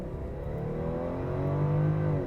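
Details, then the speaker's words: Toyota Soarer (automatic) after 10-year hibernation and ECU repair, on the road under hard throttle: engine note climbs smoothly and evenly with no misses or knocks, kicks down and changes beautifully; healthy acceleration. "it makes a big difference it really does it's not going to break any land speed records whatsoever but it gets up it goes it Kicks Down Changes beautifully and it sounds sounds like it should do"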